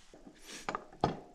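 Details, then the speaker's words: Tuned 20 hp moped engine (about 14.5 hp, iron cylinder, cylinder side near 100 °C) stopped: three sharp metallic clunks as the crankshaft is rocked by hand, showing visible play from a loose crankshaft bearing. "I am a bit worried if it heats up too much then there is another concern. the crankshaft bearing is loose."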